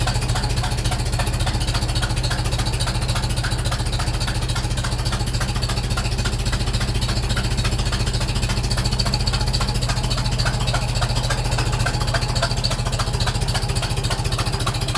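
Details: International Super M tractor at idle right after startup: sharp, even tapping about three to four times a second. Owner first suspected a cracked exhaust manifold, now suspects the manifold gasket leak; not confirmed.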